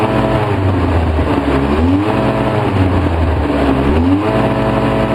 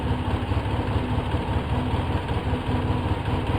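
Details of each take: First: 2004 Polaris Sportsman 700 twin, choked 10-15%, Seafoam in the fuel, running about 10 minutes; it dies if choke is eased: surges and sags, spitting and sputtering, thick exhaust; rough running from a carburetor boot air leak. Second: 2004 Polaris Sportsman 700 twin with seafoam in fuel, slight choke, idle turned down to 1100-1120 rpm, cleaned Autolite plugs: fairly steady idle with slightly uneven pulse, no misses or knocks; acceptable idle.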